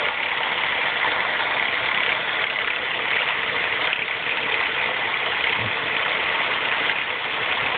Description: Loud and annoying timing chain racket on my 2004 Mazda 3 2.3L MT 84K.